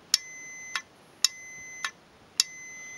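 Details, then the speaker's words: Warn M8000 electric winch solenoid bench test with a continuity meter: sharp clicks in on-off pairs with a steady high meter beep between them; the solenoid switches power normally. "so if the solenoid works fine I should get a beep as soon as I connect this so you can hear the solenoid click basically switching power across the"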